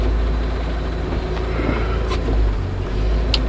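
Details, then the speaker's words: 1996 Ford Ranger four-cylinder (two plugs per cylinder, timing belt replaced a couple of years ago) started on a warm day: low, smooth, even quiet idle with no ticks or knocks. Normal, healthy idle. "I mean listen to that thing how quiet it is"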